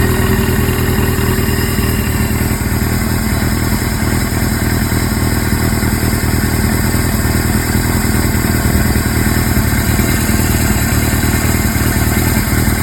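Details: Suzuki GS-series motorcycle inline four with CV carburetors, idling steadily: light, irregular clatter over the exhaust beat. Abnormal engine noise at idle, source not identified.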